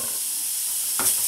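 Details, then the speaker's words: 100x200 mm model steam boiler with a 40 mm heating tube, stored 20–30 years unused, on its first test with a 300 g/h torch burner. A steady sharp hiss with small puffs: the gas pipe leaks so badly that pressure cannot build. "ce qui est amusant et vous l'entendez c'est que c'est en fait le haïk c'est le tuyau de gaz qui fuient t"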